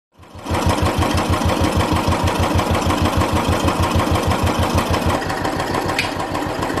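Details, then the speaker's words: Royal Enfield Classic 350 UCE single-cylinder engine at idle: steady thump with a metallic tappet rattle over it. "tap it noise in royal enfield is a real pain in the ass that metal rattling noise coming out of the engine it doesn't always sounds good for any genuine user of oil enfield"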